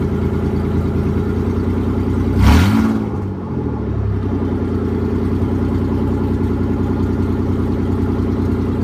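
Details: 1993 Nissan 300ZX that would not crank after transmission removal, started after a faulty neutral position safety switch was dealt with: brief rev as it fires, then a smooth, steady, even idle; starts and idles normally.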